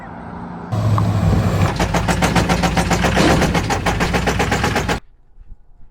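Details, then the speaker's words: Heavy, rapid metallic knock of about four blows a second over the diesel from an LML Duramax that had run roughly 12k miles since being pulled from the woods; broken crankshaft. "as you can see from the title on the thumbnail the LML Duramax blew up"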